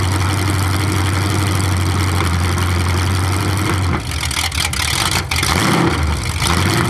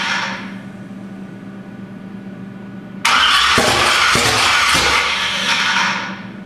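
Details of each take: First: 427 big-block Chevy V8 on an engine run stand, first fire after a very long time unrun, distributor timing just adjusted: deep, even open-header idle, one quick throttle blip settling back stable; sounds really good. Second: 427 big-block Chevy on an engine run stand, not run in a long time, first cranking (initially without ignition; owner unsure the starter sounds happy): steady cranking, then uneven bursts that never settle into running; crank no-start, cause unconfirmed.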